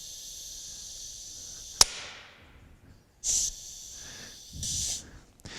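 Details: Honda AT5 5-speed automatic transaxle (2001-2014 Honda/Acura) on the bench, air applied to the mainshaft feeding both tubes: short bursts of air hiss that stop cleanly, no long leak-down; clutches, including fifth, apply and hold air normally.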